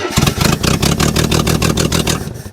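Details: 1974 AMC Javelin, first start after sitting over 30 years, a little choke: uneven, lumpy firing that sags and dies within seconds; suspected out of fuel or stuck carburetor float.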